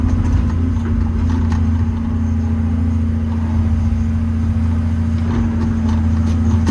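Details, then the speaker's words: Old 140 digger diesel (10K hours) warmed up to temperature, digging under load; deep, steady even drone, no knocks or misses, pulling strongly with bags of power, better than ever. Normal running under load. "Anyway, that's it, warmed up to temperature, and she's gone like a sewing machine."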